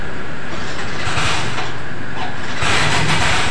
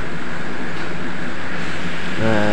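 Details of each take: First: Yamaha Mio Soul GT scooter after repairing a loose ground bolt on the starter motor, which had caused starter relay clicking and no start: electric start fires promptly with a steady beat; afterwards the CVT area is noisy, possibly the kickstarter pinion. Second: Yamaha Mio Soul GT idling just after a double-starter repair: a loud, rough rattling from the CVT side. A stuck kickstarter pinion is suspected, not confirmed.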